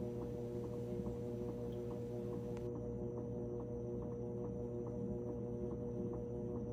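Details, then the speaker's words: GE washer after cleaning oil off the drive belt, motor and pulley (no-spin, flashing spin light): steady low motor hum with soft regular ticks about twice a second, drum turning slowly and evenly at low spin speed before ramping up. "so we're spinning this is still low speed we still have to ramp up to high speed"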